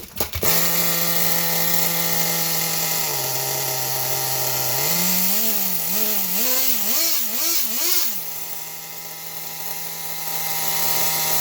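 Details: Nitro RC car engine restarted after clearing an over-prime flood, with the high-speed needle leaned because it was too rich: high buzzing idle, several sharp throttle blips rising and falling in pitch, then back to a steady idle, running clean.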